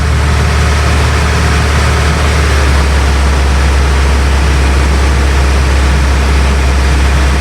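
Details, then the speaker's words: Bayliner cabin cruiser with MerCruiser inboard, started after months unused on two-year-old fuel, warming at idle: steady deep even drone, no knocks or misses; normal idle. "so there we have it the uh engine's nicely started ticking over nicely get that down to idle and we're warming up"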